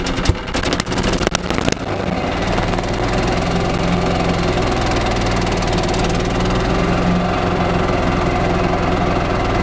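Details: 1995 Yamaha G14 gas golf cart, after starter generator replacement for a no-crank/slow-crank-when-hot complaint and PCV reconnected: a few cranking bursts, then the single fires and settles into an even, steady idle with no knocking or misses; normal running.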